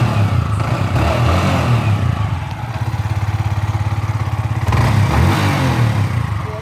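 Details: Yamaha R15 V4 after its timing chain tensioner was changed to cure engine noise. Quick, even putter at idle with a brief throttle blip and no rattle or clatter. The engine sounds healthy.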